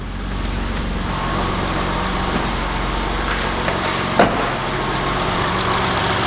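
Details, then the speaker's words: 1990 BMW 325i E30 first start after timing belt, water pump, seals and hoses, previously surging at cold idle: steady, even idle with light quick sewing-machine valvetrain tapping, no hunting; normal idle. "How good does that sound? Remember before we were dealing with quite a bad idle, a lot of surge, especially cold. God, it sounds like a nice little sewing machine tapping away."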